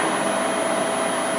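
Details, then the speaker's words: LT230 transfer case on a test bench, driven by a speed controller: a steady, coarse whirr at constant speed with a faint high whine, coming from the rear; the owner suspects the back bearing. "There's something noisy about the back here."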